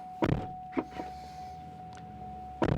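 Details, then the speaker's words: Cadillac CTS-V coupe (Lingenfelter 630hp) electric door release, previously not opening inside or out: a few crisp latch clunks over a steady chime as the door pops open; working normally. "it works out easy like that, sometimes it doesn't."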